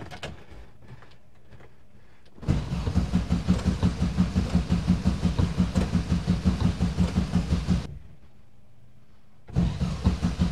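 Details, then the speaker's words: 1971 VW bus, sitting two years, with a new starter: it cranks in even chugs in two bursts but never fires. No fuel seems to reach the carb, though the fuel cutoff solenoid clicks and the coil has power. "still no gas let me slosh this thing around I smelt it it didn't smell thingy but I don't know what's going on"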